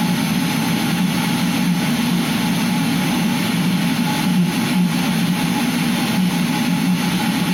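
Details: Eberspächer Hydronic D5WZ heater test run after unit repair: steady even roar of burner and fan, no surging, popping or stalling; running cleanly.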